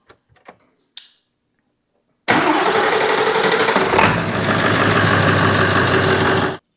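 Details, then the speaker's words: Ford F350 7.3 Powerstroke diesel, hard start/long crank diagnosis, a box feeding the starter wire to be replaced; faint clicks, short pause, then fires into even clatter, starting easier than before but still cranking slightly long; owner still suspects remaining issue. "the fact is the truck starts and it starts easier than it did before"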